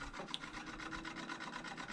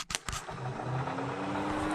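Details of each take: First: Stock radiator cooling fan on a Nissan 350Z with LS swap, being hot-wired for Holley Terminator X control: steady raspy scraping pulsing several times a second, fan sounds strained or dragging; may need new fans, cause unconfirmed. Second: Nissan 350Z with LS swap, stock radiator cooling fan wired hot for testing (driver's side) before wiring to Holley Terminator X: clicks then steady, even whir climbing slightly in pitch; runs well, passenger-side fan seems weaker.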